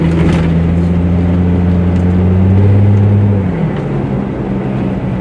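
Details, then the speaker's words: Plymouth Prowler V6 driving while shifting through gears: smooth even drone dropping cleanly in pitch at a shift, no knocks or misses; sounds really nice. "my first time driving a prowler so um everything seems to be okay let's go ahead and shift through the gears a little bit sounds really nice i like that"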